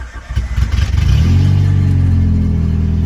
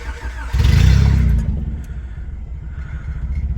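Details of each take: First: Prelude started with the EGR valve unplugged/removed ahead of an EGR delete: catches after a short crank and settles into a smooth, even idle with a steady low hum and no miss or knock. It idles and revs fine. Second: Low, lumpy idle of about four beats a second after a loud start-up flare, with the idle air control valve unplugged during an EGR valve delete, before the block-off plate goes on; it idles really low, starving for air.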